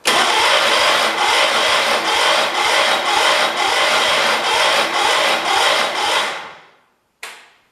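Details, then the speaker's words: 1978 Kohler K341 on a 316K tractor, first start after a rebuild with new rings: the starter cranks in even pulses about twice a second without firing; the cylinder looked dry and seems to have compression, and the owner suspects too little fuel or off timing. "it's not good that's dry both valves look to open at least i think it's got compression so i mean maybe it didn't have enough gas"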